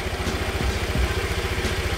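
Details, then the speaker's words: Honda Vario 110 carburetor scooter with new H4R racing starter dynamo, stock unupgraded battery amperage: quick, even low putter idle with steady beats, no knocks or rattles; starting sounds smoother, normal idle. "Langsung cek gur tanpa ada masalah sama sekali ya kelihat e kalian bisa t bisa dengar enggak kalau suara setannya itu jadi lebih halus jadi lebih enak aja didengar ya"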